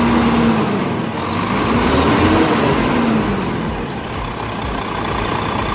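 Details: Volvo truck diesel after a cranking no-start and hard-starting fuel system fix: steady, even clatter, revs rising slightly then settling, no stumbling or misfire; normal idle.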